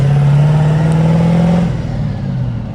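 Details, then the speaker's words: 6.0 diesel truck with 250/7mm hybrid injectors and T4 turbo, just unhooked from trailer, hard throttle in third gear: drone climbs then pitch sags and flattens instead of pulling; third gear slips, worn clutch due for replacement. "Third gear's definitely slips. It's in third, by the way. Like, I'm in third."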